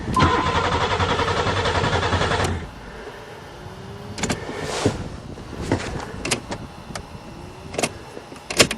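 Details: Buick Regal, first start in April 2008 after sitting all winter, with a new battery installed and fuses checked good; the fuel pump was at first not heard, then came on: the starter cranks steadily but the engine never fires, then only clicks.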